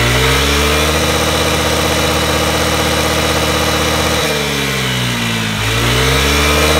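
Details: Honda Today moped after engine conditioner treatment for carbon buildup: strong, even single-cylinder drone dipping and picking back up cleanly with throttle, no stumbling or misfire; running healthy.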